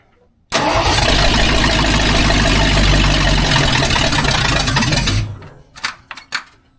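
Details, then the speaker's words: Budget-build 302 V8 in a tow truck, first startup, fed starting fluid: catches and runs hard for about five seconds, then dies; fuel-starved hard starting, though it later runs smooth. "Come on. Get a little bit more juice in it. A little sauce."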